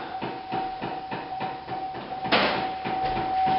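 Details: 2008 Chevy Impala in cold Missouri weather, engine started: failing blend door (vent) actuator behind the dash makes steady, fast, loud clicking, about three a second; to be replaced.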